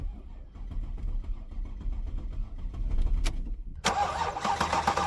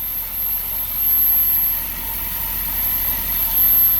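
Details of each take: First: Porsche Panamera S after timing chain job, previously long crank and rough idle: healthy even cranking at about four compressions a second but never catches; found to be out of fuel. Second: Porsche Panamera S after timing chain job, started once refueled after running out of gas: quiet, smooth even idle, no misses, knocks or vibration; no check engine light.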